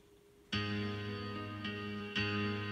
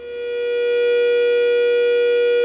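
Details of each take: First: Bose Wave radio/CD AWRC3G after repair of liquid-damaged U600 TL074C op-amp area and a replaced 100k part: clean music, plucked notes ringing clearly, no hum, hiss or crackle; normal playback. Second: Bose Wave radio/CD AWRC3G with liquid damage and prior bodged repairs around U600 TL074C op-amp: loud steady howling tone near 500 Hz swelling in; amplifier oscillation, before repair.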